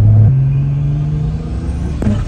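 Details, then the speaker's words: Turbo BMW M50 E30, after fixing a crank-no-start issue: engine climbs steadily with a low drone, then the pull chops off abruptly on the way up, a hard rev cut; owner suspects boost controller settings. "Oh! Yo, that was such a hard cut. Holy shit, that scared me. It was on its way up."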